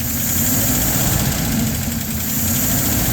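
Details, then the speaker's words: LaSalle with mechanical non-adjustable lifters, checked for fuel starvation: steady, even low idle with slight lifter noise, no stumble; acceleration and accelerator pump fine, fuel bowl full, percolator rods steady; normal idle. "Even the acceleration is nice. Even the accelerator pump. So there it is idling."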